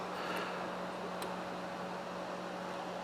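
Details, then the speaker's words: DC power supply at power-on with a constant low hum and steady whirring drone; the cooling fan sounds noisier than it should, and the cause is not confirmed. "now I did notice that the fan is quite noisy I don't know if you can hear that in the video"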